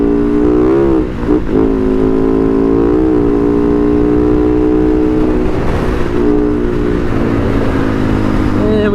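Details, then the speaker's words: 2010 Husaberg FE 570 on a test ride: loud, steady single-cylinder drone at speed with a brief dip and recovery, no knocks; the motor sounds good. The rider suspects clutch slippage from the clutch master or slave, and the brakes are poor. "and she's like skipping the motor sounds good"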